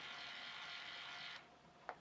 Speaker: Right, it starts spinning, so I've just let go of the button.